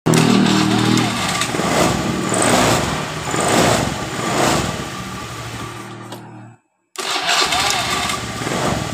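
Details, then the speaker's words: Honda Beat FI scooter that only clicked on the starter despite a normal battery and starter motor, fixed by jumping the black starter wire to battery negative to bypass the weak CDI: short whirr, catches, steady idle, restarts cleanly. "seperti itu motor hidup sudah dengan normal ketika kita mengekali di bagian dari cdi-nya yang lemah"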